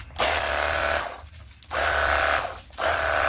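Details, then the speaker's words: Battery-powered portable jet cleaner pressure washer after repair (previously hummed and got hot but motor wouldn't turn, no water); steady motor whine with spray hiss in even bursts, quieter and smoother: normal running. "Siap dipergunakan untuk cuci motor ataupun mobil dan suaranya lebih kalem ya, lebih halus."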